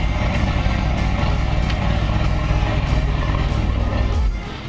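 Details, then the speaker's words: Outboard boat motor after carburetor cleaning, running on carb-cleaner fuel mixture and revved out of gear with the prop not spinning: strong, steady revving with no stumbling or misses, easing off near the end; runs far better than before, normal running. "So, we're not in gear. The prop is not spinning, which enables me to rev the engine without spinning the prop. And that sounds a lot better than what we started with for"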